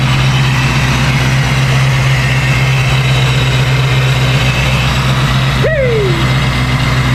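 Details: 1990 Ford Mustang Foxbody convertible V8 with newly installed ProCharger supercharger, first startup: steady, lumpy idle with a faint high blower whine on top; sounds healthy.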